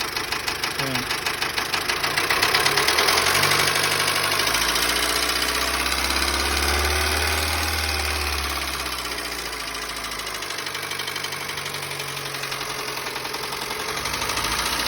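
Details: Dacia Sandero small petrol engine idling and revving with a steady knock about three beats a second; oil had been below minimum, the noise continued after topping up, and the oil warning light flickered above 2,000 rpm; cause unconfirmed.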